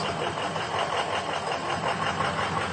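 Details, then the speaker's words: Ford 6.0L Powerstroke diesel just started cold, uneven lumpy idle clatter with a solid miss; injector balance rates all over the place, number six worst. Failing injectors suspected, before the STICTION ELIMINATOR treatment. "alright so we just started it up nothing to hear that well but it has a solid miss"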